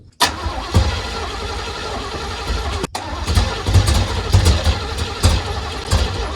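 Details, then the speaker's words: 1980 Pontiac Grand Le Mans small-block V8 with headers: long uneven cranking with weak catches that never run; accelerator pump not working, fuel not reaching the carb, timing also suspect. "The accelerator pump is not working. Fuel is not actually getting into that carb. She's too bunged up."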